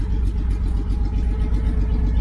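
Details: 1972 Chevy Nova with new exhaust, straight pipe and Cherry Bomb muffler: deep even slightly lumpy idle burble, no knocks or rattles; healthy idle.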